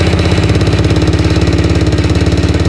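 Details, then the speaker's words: Restored four-wheeler, small single after rebuild with new rings, smoking heavily, overflow stuck; rapid even knocking on every firing pulse at idle; engine knocking. "What is that sound? I don't know, bro. That does not sound good."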